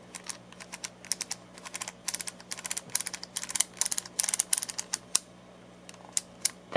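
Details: Craftsman multimeter from about 1999, being rebuilt after dead fault caused by dial pads not contacting the board: crisp, sharp clicks in quick bursts as the rotary dial is turned through its positions. Each detent snaps cleanly, normal switch operation during reassembly.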